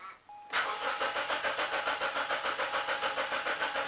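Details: Mazda 626 petrol with an intermittent no-start, cranked while the fuel pump current waveform is scoped: steady cranking at roughly three and a half strokes a second with no catch; pump waveform looks atrocious, failing fuel pump.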